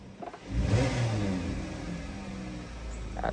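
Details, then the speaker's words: Dodge Caravan after repair of cylinder 3 misfire and white smoke (spark plugs, MAP sensor cleaned): engine picks up cleanly on the blip and settles back without stumbling or popping; no misfire, smoke gone. "Ayan, malinaw na yung binubuga at hindi napupugak-pugak. Ang ganda na ng andar. Hindi na pumapalag yung makina."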